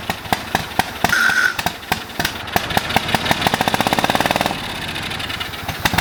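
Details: Old lawn mower: pops and fires in ragged bursts, catching briefly then dying, running only on brake cleaner sprayed into carb with old bad gas; fuel starvation, fuel pump or lines suspected.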